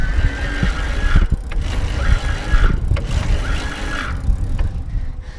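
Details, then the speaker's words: Trek Super Commuter+ 8S with a Bosch mid-drive, climbing a hill in low gear at high cadence with assist on: high whine rises and fades with each pedal stroke, about every 1.5 seconds, over road rumble. Normal motor whine. "you can definitely hear it you can hear the whining I talked about part of that's cuz I'm in a really low gear my pedaling RPM is very high"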